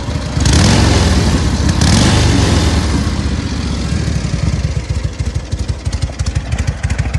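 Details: SOKÓŁ 1000 motorcycle after full rebuild, briefly warmed; two clean throttle blips then deep loping idle settling evenly; engine sounds healthy.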